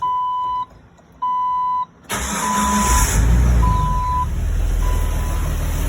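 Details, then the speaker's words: 2002 Jeep Wrangler with a newly installed 4.7L stroker replacing the 4.0, after a faulty new starter had ground: dash chime, then a quick clean crank catching into steady idle with no grinding; normal start. "that's the way she should sound"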